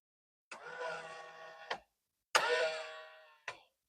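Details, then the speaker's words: Nissan Silvia S15 Spec S left folding mirror: two short motor whirs of about a second each ending in a click, but the mirror does not fold; owner suspects a broken worm gear. "just makes a noise. So I definitely want to be fixing that one sometime in the future. I suspect that it might be a worm gear that has been busted and needs to be replaced."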